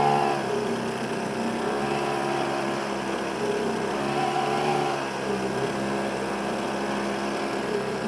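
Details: YADAO 3.5 HP two-stroke outboard, brand new, first run, 32:1 fuel mix on regular fuel, max 5000 rpm; steady high-pitched buzz, even speed, no misses or knocking; relatively quiet and running well.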